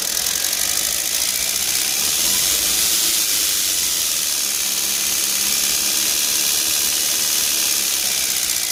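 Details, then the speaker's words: REVA G-Wiz electric car with a lithium-ion conversion, DC drive motor running after brush repair: steady high-pitched hiss and scratchy chatter with hardly any commutator sparking; owner suspects the brushes need re-seating, and a faulty commutator is possible. "as you can see there's hardly any sparking coming off of the commutator so i wonder i'm gonna look that up and i wonder if it just needs re-seating and that's what that noise is"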